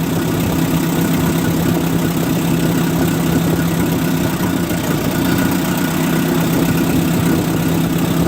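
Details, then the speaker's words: 1958 Oliver 550 gasoline tractor after setting idle mixture and locking distributor timing: steady even low idle, smooth unbroken drone with no misses or knocks; engine settled and healthy. "It seems pretty happy there, doesn't it? So we'll lock the distributor down there. I think it's kind of in a happy place."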